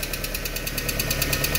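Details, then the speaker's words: VW AP 1.6 G3 flex engine with low oil pressure (3 bar cold, dropping to 1 bar at warm idle), just started after fitting the larger oil filter: fast, light lifter ticking over a steady idle, the hydraulic lifters still tapping before they fill with oil. "esses motor aqui é esse maior né ainda tá batendo um pouquinho vamos ver se carrega né"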